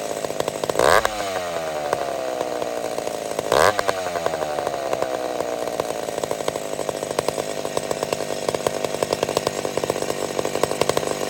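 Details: McCulloch Super Pro 70 chainsaw, started without choke on a hot evening: high whine holds steady between brief revving bursts, no surging or hunting. Normal running; owner suspects it's slightly lean.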